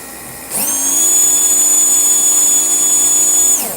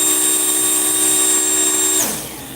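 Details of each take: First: Slot car motor on test after swapping back to its original end bell: a sharp, high, steady whine spins up instantly, holds an even pitch about three seconds, winds down; noticeably faster, smooth and healthy. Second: Slot car after racing, previously faster but now slowed to about 3.8–3.9: steady high motor whine for two seconds then winding down, pitch lower than it should be; slow-running motor, cause to be investigated.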